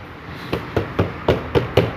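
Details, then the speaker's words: Fiat Cronos (2018/2019) door knocked after disassembly, refastening with threadlocker and reassembly to cure a rattle: six firm, clean dull thuds with no buzz or rattle; panel now solid, noise gone. "o barulho não tem mais barulho Ok esse é mais um vídeo que a gente fez aqui no Cronos"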